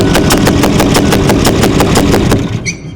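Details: 6.4L Powerstroke diesel, 165,000 miles, rebuilt engine that failed at about 50k miles on the build: harsh regular clatter about three beats a second while cranking, then stops; cause suspected, possibly a missing or loose oil pickup after it failed to fill.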